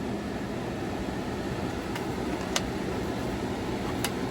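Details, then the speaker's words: Maxx Fan roof vent with its beeping circuit board bypassed by a rheostat switch, wired to the battery; switch position two blows air in, position one exhausts, and speed changes: steady airy whoosh, no beeping or rattle. Normal running. "so through my tape you'll see a red light and then if I go to position two it reverses the fan speed so now it's in so for me the switch on position two blows air in position one will exhaust air and then you see the fan speed changes too"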